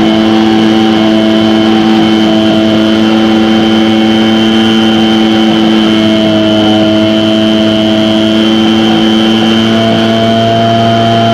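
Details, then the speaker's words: Echo 403T blower with replacement Zama carb during high-speed adjustment: small two-stroke screaming flat out at steady high pitch at full throttle with no surging. "i'm going to do the same thing i'm going to get that fully throttled up i'm going to bring it all the way so it won't go any higher"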